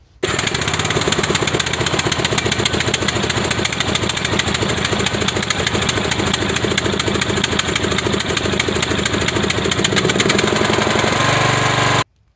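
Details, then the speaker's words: Craftsman Briggs & Stratton engine after fixing a sticking choke on a brand-new carburetor by modifying the intake pipe: starts almost instantly and runs with a steady single-cylinder beat; the choke now releases while running. "we'll start it up quick here and make sure it actually comes off while it's [Applause] running and that's a wrap on that"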